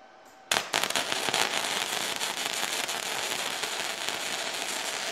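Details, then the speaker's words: Firepower FP-200 MIG welder, test weld with ground just connected, wire speed set by guess: sharp crackling sputter with irregular pops settling into steadier fry; start ran a little cold, and wire likely feeding too fast (suspected, adjustable run-in needs tuning). "start was a little bit cold but then uh once it ran in not bad I think so it has adjustable run-in I think that needs to be adjusted a little bit seems to be maybe that it's putting too much wiring too fast"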